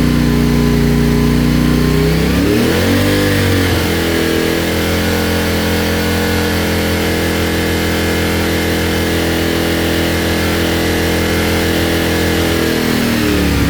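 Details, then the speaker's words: CFMOTO IBEX 450, warm, after TEAM MSC ECU tune for surging: steady even idle with one quick throttle blip settling cleanly back; sounds smoother, tach still bouncing slightly, no surging or hunting. "It does seem a little smoother. I mean, it looks like it's bouncing around on the tack a little more or a little bit still, but it definitely sounds a lot more uh sounds like it's not bouncing around near as bad."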